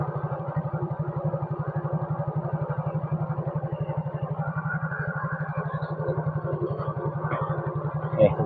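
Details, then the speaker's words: Yamaha Mio scooter engine (sensor left connected, no error reading) after idle adjustment turned clockwise: an even, steady single-cylinder putter about three pulses a second, no hunting or stalling; idle settled and stable. "Nah, kita nyalakan dulu, kita cari stasionernya yang pas. Udah mulai stabil."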